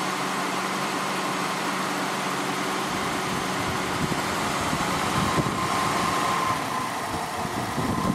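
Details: 2000 Honda Accord 3.0 VTEC V6 started just after alternator replacement, belts and fans refitted: steady, smooth idle with no belt chirp or whine from the front of the engine; runs healthy.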